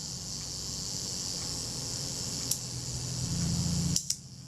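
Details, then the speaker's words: Kodak Retina Reflex III shutter after service, set at about 1/8 second: self-timer gives a steady fine buzzing whir for about four seconds, ending in two crisp clicks; self-timer and shutter working normally. "i'll set the self timer see if the self-timer runs down and works it's running down smoothly"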